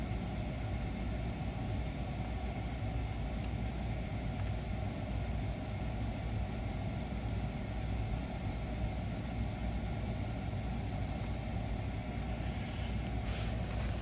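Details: PACCAR MX13 diesel truck after an injector 2 repair, no active codes after a 30-mile test drive: steady even low diesel rumble at idle with no knocks or misses; the engine sounds healthy and settled.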